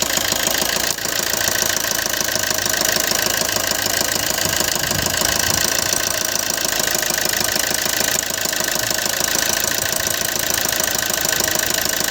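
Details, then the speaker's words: Maruti Suzuki Ertiga Smart Hybrid petrol engine idling with a fast rough ticking knock over a busy clatter, with morning smoke and unsteady RPM; dirty fuel injectors. "Smart hybrid Ertiga, morning black smoke, RPM problem, engine knocking."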